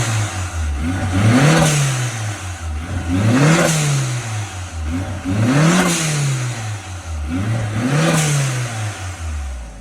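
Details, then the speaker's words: Project vehicle after a wire tuck and radiator fan upgrade, warmed up: four clean revs that climb and fall back smoothly to a steady idle with no misses or knocks; normal revving, fuel pressure needs a slight increase. "good beautiful i love it i need to bump up the fuel pressure a touch but other than that she is perfect"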